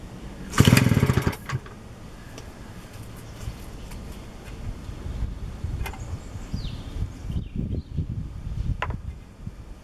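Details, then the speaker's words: 1947 Danarm Junior Mk1 two-stroke chainsaw after full restoration with new bearings, coil and condenser, running on a drop of fuel with no tank fitted: catches with a loud rasping burst, then an uneven, lumpy low idle; clutch operates. "There she is, she runs, and the clutch operates"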